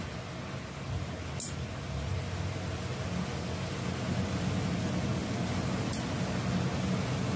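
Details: Stand electric fan motor head, shaft found stiff and freed; switched on for test: soft even hum building as it spins up, no rubbing or clicking, fan now runs freely and normally.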